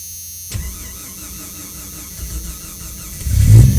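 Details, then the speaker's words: 1989 Jeep Cherokee XJ 4.0L Renix cold start after replacing the idle air control valve: the engine cranks and catches, runs a rough low idle, then flares briefly higher and comes back down; it previously idled at 2,000–2,500 rpm when cold. "so it did the initial you know higher revving like a normal car would do and then came right back down so there you go"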